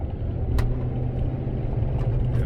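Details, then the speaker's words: Ford F150 with almost 400,000 miles, driving, recorded at the steering wheel: fast, steady low drone and buzz with the dash rattling. Suspected U-joint or driveshaft/pinion vibration, not confirmed. "It feels actually like a U-joint because it's a very fast rotation. And that's a lot of times that's a way to tell like what is exactly making a vibration or whatever."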